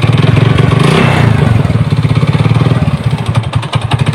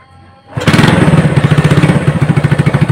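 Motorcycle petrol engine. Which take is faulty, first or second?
first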